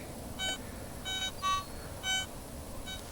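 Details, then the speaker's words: Garrett ATX pulse induction detector, stock 12x10" DD coil, ground balanced, power at max, small gold nugget about a foot away: a few short, steady high beeps in quiet surroundings, cleanly picking it up; normal target signal on gold nugget. "Now you hear it better, don't you? That's a good foot away."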